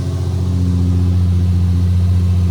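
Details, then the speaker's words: Nissan 350Z just revived by jump pack after a flat battery: engine runs smooth and even with a steady low hum, no knocks or misses; normal running. "and hopefully this is what you hear when you start. All right, she's alive again."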